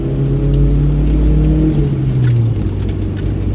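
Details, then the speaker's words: Toyota Celica GT-Four RC All-Trac (ST185), 3S-GTE turbo, AWD, factory powertrain, heard from the cabin under acceleration: engine roar with a steady low gear train whine on top, normal for this drivetrain. "the gear train whine. That is so cool. That is so rally too."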